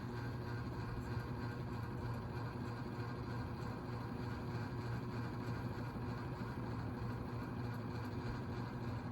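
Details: Lasso/Sears Turn of the Century 4-speed ceiling fan, antique brass with skeletal motor, at speed 4: soft constant low hum with no ticking, wobble or rubbing; runs smoothly.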